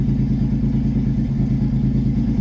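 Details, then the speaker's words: $900 V6 drift car with new header and exhaust, untuned, after refitting intake and vacuum fixes: steady, low, even idle around 1,000 rpm, no hunting or stumble; idling smoothly. "They're stable right now. >> I mean, we're solid. 1K."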